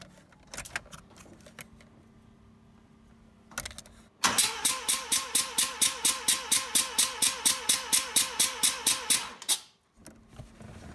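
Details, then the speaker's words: First-generation Mazda RX-7 rotary, basic compression test cranking with spark plugs removed: steady, evenly spaced chuffing about twice a second, no weak beats; both front and rear rotors show good, even compression. "so in this case both rotors offering a good compression we've got nice evenly spaced chuffing noises"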